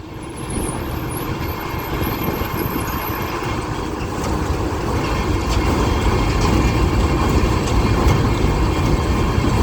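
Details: Kartar 4000 SV combine harvester started after repairing and refitting the broken straw walker, checked for any rubbing: engine and threshing drive come up to speed with a steady even drone, no knocking, scraping or rubbing; running correctly after repair.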